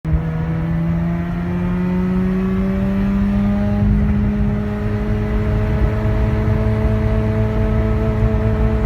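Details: Mazda RX-8 with new BHR coils, plugs and brackets, new dealer starter and BHR midpipe, good compression: engine climbs under hard acceleration then briefly stumbles near high rpm before pulling on; intermittent high-rpm misfire, cause unknown.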